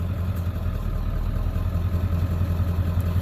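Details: 1997 Ford F-250HD 7.3L Power Stroke diesel that intermittently shudders while driving, no codes stored: idle clatter with slightly uneven beat, about 2.5 pulses per second, suggesting a weak cylinder; cylinder contribution issue suspected, injector waveforms being checked.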